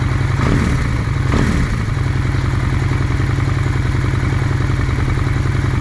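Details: 2001 Honda Shadow VLX 600 V-twin after carb clean and pilot screw set three turns out, idle raised slightly from 1100 rpm then lowered a bit: even, low, lopey beat with no knocks or misses; smooth.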